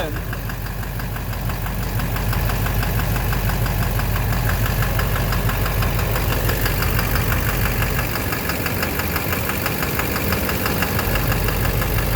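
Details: 2009 Silverado 3500 Duramax LMM diesel dually, 59,900 miles, idling: steady knock around three per second over clatter, loudest low down; owner thinks bottom end near the oil pan, unconfirmed. Oil analysis shows no abnormal wear; intermittent since 57,500 miles.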